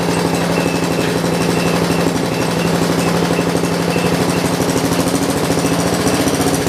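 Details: John Deere 112 round fender with K181 single-cylinder and new carburetor; engine thumps at steady low speed for seven seconds, won't throttle up; governor and throttle linkage sticking, fixed by adjustment.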